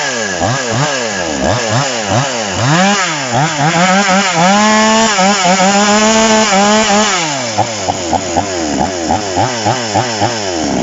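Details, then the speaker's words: TOMITSU 5800 chainsaw with sprocket clutch, rapid blips then a piercing, thin high whine held near full revs; carburetor adjusted too lean, needs backing off when fitted with bar for cutting wood. "ถ้าไปใส่บารผ่าผ่าไม้ตัดไม้ครับต้องปรับปรับถอยอีกนะครับเนาะอันนี้ผมปรับบีบเกินนะครับ"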